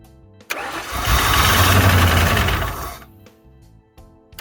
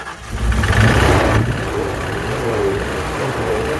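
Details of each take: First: Fox body Ford Mustang project car after sitting, gauge reads full but no fuel smell, fuel pump heard: cranks at a steady even beat about four per second but never fires; owner suspects it is out of gas. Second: Ford Fox Body Mustang project car, throttle body cleaned and Gorilla tape used as a gasket, fresh gas added: catches, flares up briefly, then settles into a steady even idle with no misses or knocks.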